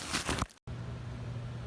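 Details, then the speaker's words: Goodman furnace blower after replacing rumbling motor that had shaft play: brief clatter, then low, smooth, steady hum with no rumble or wobble; normal blower operation. "yep now it's nice and quiet it doesn't Rumble anymore"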